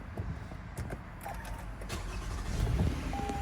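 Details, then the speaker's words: 2020 Toyota Sienna, 42K miles, just after filling the gas tank, following replacement of the EVAP canister purge solenoid valve for no-start after refuelling: brief starter whirr, quick catch, low even idle; normal start, no check engine light. "yep no problem no problem whatsoever we started as normal no check engine light"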